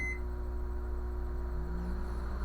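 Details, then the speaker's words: Brastemp microwave, after a short start beep, runs with a loud steady low buzz on switch-on; current to the magnetron measured normal, buzzing blamed on a failing magnetron. "É porque quando ele fala uma zoada sendo que vai que vai ligar ele noventa porcento das vezes é magnetron tá noventa porcento das é mais visão"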